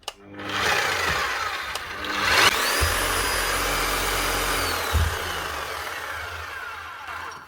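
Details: Bosch hammer drill after new power lead fitted, brushes checked fine, in rotary mode: motor spins up to steady high whir, even pitch, winds down cleanly; running normally.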